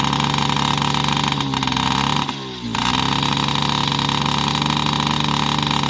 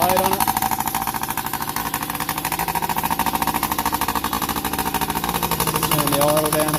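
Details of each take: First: Yamaha PW50 two-stroke after 5 years' storage, with aftermarket carb and cables, idles with a steady burble that stumbles briefly; it runs rich because the too-short choke cable kept the choke always on. The fix was refitting the OEM carb and throttle cable. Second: Yamaha PW50 two-stroke, sat 5 years, after returning to cleaned OEM carb and throttle cable, oil pump readjusted, new spark plug, tank drained: quick steady idle without stumbling, starts easier, no longer smoking; normal idle.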